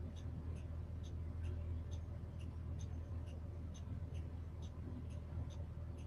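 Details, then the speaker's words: Old school bus number 12 with air brakes, during pre-trip with master switch and lights on: quick high beeps about four a second over low diesel idle; alarm for open rear emergency exit. "That alarm you're hearing is I got the rear emergency exit open, so I got to close that."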